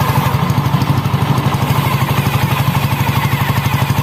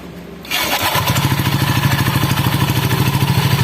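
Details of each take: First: Honda Scoopy ESP scooter after replacing a damaged CVT roller housing with a stuck spacer and sanding rough panel edges: even, steady beat about three pulses a second, no rubbing or scraping; belt drive runs smoothly, acceleration and top speed good. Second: Honda Scoopy ESP scooter lacking power with weak, heavy acceleration; after start it settles into a rough, pulsing rattle about three times a second from the CVT side, traced to a damaged roller housing with a seized spacer needing replacement.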